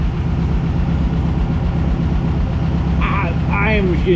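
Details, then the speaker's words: 1600cc air-cooled VW dune buggy, cold day (mid-30s °F), after new plugs, oil change and fixing swapped cylinder 1 and 2 plug wires: smooth even idle about four pulses per second, no misfire gaps; oil pressure appears to read 80 psi. "it's much happier that's not why it was missing before though I promise you that this sounds way better [Music] that's what I like to hear a girl yeah we're back"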